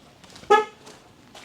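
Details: 2005 GMC Savana conversion van bought as a non-runner: one short, clear, strong honk of steady pitch with nothing else behind it. The horn works.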